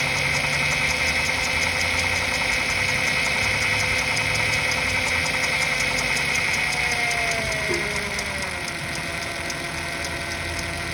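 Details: Honda Accord J35 V6 at idle: steady, fairly regular knock or tap about four a second over a bright engine hum, engine knocking noise.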